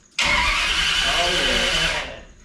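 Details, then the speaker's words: Turbocharged Holden V8 ute, first start attempt after crimping down the starter terminal; coil lead off to build turbo oil pressure; strong, even two-second cranking whirr, no clicking; cranks normally. "All right. That is good. So, we know that it cranks now."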